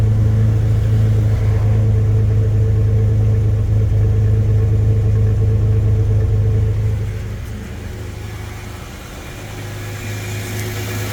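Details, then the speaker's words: Chevy S10 with a swapped 3.4, running after earlier bucking and dying in closed loop. Smooth, even low idle with no knocks or misses. The 1986 pellet-style converter leaves a soft, muted exhaust note. "Now, this thing still has the pellet style converter on it from the from 1986. So, you don't have much of an exhaust note."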